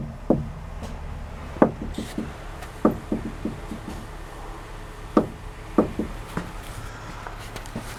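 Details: Volvo S60R, hard clunk from the front strut tower when turning the steering wheel: six sharp, uneven clunks, quiet otherwise; owner suspects the strut top spring seat bearing, unconfirmed.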